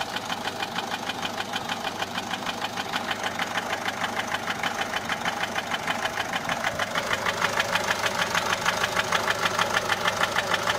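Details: Peugeot 407 1.6 HDi 90 diesel at idle: steady light tapping, about 150 a minute, over a mid-pitched idle. Noise began after a road drive, with slight white smoke from the rear. Mechanic suspects tappets (poussoirs) or camshaft, unconfirmed.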